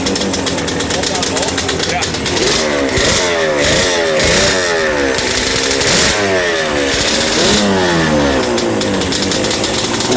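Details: Yamaha Banshee 350 two-stroke after sitting about 5 years, TORS delete, carb clean/rebuild and new throttle cable: crisp crackle rising and falling with each throttle blip, revving freely and settling without stumbling; running properly.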